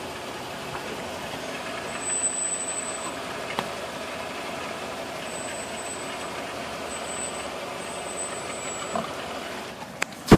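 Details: Disc brakes: short high-pitched squeals come and go over steady vehicle noise as the brakes are applied. The left front pads and caliper are suspected as the culprit, not confirmed.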